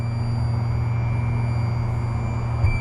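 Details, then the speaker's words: 2023 Stabicraft 1850 Supercab with Yamaha F115 outboard, trimming the motor down: steady strong electric hum and whine ending in a clunk at end of travel; normal trim motor, a deeper sound would mean low batteries. "Right, that sound there is what you want to hear. But if it dropped to like just a little deeper sound, that means your batteries get low."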